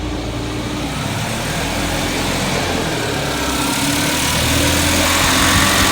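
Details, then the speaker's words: 1979 210 (4-cylinder, carbureted) after choke fix, idling high with air cleaner off: regular uneven pulse about four per second in the exhaust beat; steady misfire, pulling wires 1 and 4 kills it, 2 and 3 do nothing. "It is a steady one. That's not on misfire."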